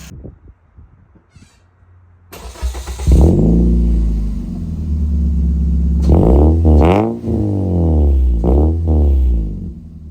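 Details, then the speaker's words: Toyota Echo 1.5 with 391,000 miles, after a misfire was fixed by replacing a failed ignition coil. Engine catches, settles and revs cleanly a couple of times with a steady, even beat and no stumble. Normal running. "But you'll get to see the car, I guess, operate now that it's fixed. It's a whole lot better."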